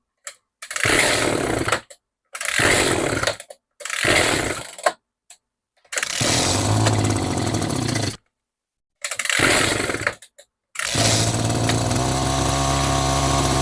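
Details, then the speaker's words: Echo GT-200i string trimmer with easy-start system, after carburetor work and mixture screw turned out: short buzzing bursts that die, then two-stroke settles into steady even buzz; running again, carb needs slight further tweaking. "So far so good. Wow. A honestly I'm just going to let it air for a bit, but honestly I' I'd call this a win."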